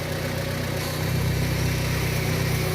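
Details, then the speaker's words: Engine idle with a steady droning whine over it that swells and grows louder as the engine heats up; suspected power steering pump, possibly leaking fluid, to be replaced with a used unit. "hold it right there that noise gets increasingly louder in the car that noise right there super annoying"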